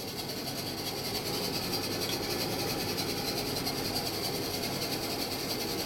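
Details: Washing machine test after descaler wash, front bearing pads suspected: steady even whir from the motor with no knocks or scraping; normal motor running noise.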